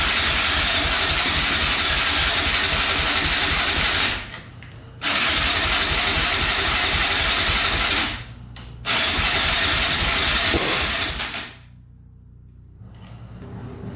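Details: 2004 Yamaha Raptor 660 quad in rough condition, fresh oil, gas poured down the carburetor: steady even cranking at about four beats a second in repeated bursts that never fire; no-start.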